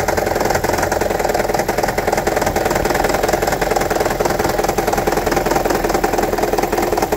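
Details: 2009 Toyota Prius 1.5 hybrid at idle, engine light on, P0304: rattly uneven pulse three to four beats a second with stumble; cylinder 4 misfire, coil swap ruled out, shorted spark plug and low compression found, fixed by replacing plugs.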